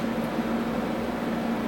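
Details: Tektronix 574 oscilloscope after lubricating the cooling fan bearings and reassembling: steady airy whoosh with a faint even hum and no rattle or scraping; fan spins smoothly and sounds healthy.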